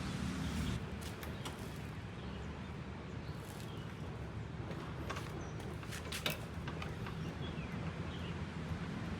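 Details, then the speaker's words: Kawasaki Ninja 150 two-stroke at idle after switching from original Kawasaki 2T oil to Motul 510: uneven light ticks and rattles over low idle; owner says clicking seems from engine area, not the air filter, which is fitted. "Oke, ini suara saat mesin dalam keadaan idle, teman-teman. Terdengar seperti ada suara berderak atau bergesekan."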